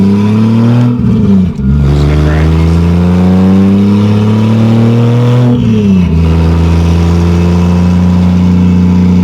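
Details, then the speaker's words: 2JZ-GE NA-T swapped MK3 Toyota Supra, road pull under boost while running rich: hard pull climbs, then stumbles and cuts twice before recovering, with gas burble; breaking up under boost, later traced to excessive spark plug gap. "10. Feels better. Still breaking up. Oh, gas burble."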